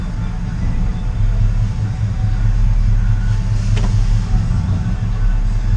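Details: 1968 GMC V8 at hot idle in gear after an oil cooler was installed; oil pressure just under 30 psi, previously 14–15 psi, oil light off; steady, even low rumble with no knocks or ticks.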